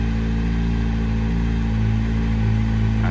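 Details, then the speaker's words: Yamaha R1 four-cylinder engine warm at idle after repair, fan running: steady idle with busy mechanical clatter but no distinct ticking or knock; noisy motor but sounds great, old engine used to tick. "from here you can hear she sounds great. Come closer. It's a noisy motor."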